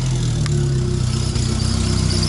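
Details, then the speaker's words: Opel Corsa A GSI racecar warming up at idle on its first start after more than 10 years standing: a steady, low, smooth idle with constant pitch and no misses, knocks or rattles. The engine is judged to sound good. "ja aber klingt guter Motor ne ich will nicht wissen wer der verbraucht Alter"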